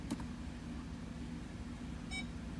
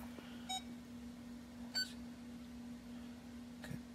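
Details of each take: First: Ford park aid module (PAM) on-demand self-test run through a scan tool. One clean, short beep sounds over a steady cabin hum, so the reverse park aid beeper works. The stored code pointed to the rear outer right sensor. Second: Ford park aid self-test repeated after swapping the suspect sensor into another position. A few short beeps over a low hum. Code 1710, right rear inner sensor, followed the swap, confirming a faulty park aid sensor.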